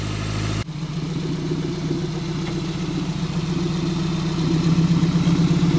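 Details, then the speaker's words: Toyota MR2 ZZW30 1ZZ engine, repaired after rod bearing trouble, with homemade TIG-welded stainless exhaust and switchable silencer valve: steady exhaust drone swelling smoothly as revs rise, no knocking or ticking; healthy. "Quand c'est avec le silencieux, on l'entend de manière subtile, quelque chose que j'aime quand je vais utiliser la voiture dans la rue, et quand je l'utilise pour des lots, je peux désactiver le silencieux et le faire sonner."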